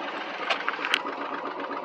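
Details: Ford Mustang 5.0 HO V8 at an auction yard, running better after clearing bad gas but still misfiring, with an uneven idle and sharp ticks from an exhaust leak underneath. A fouled plug is suspected; it revs to 5000 rpm, and there is no check engine light.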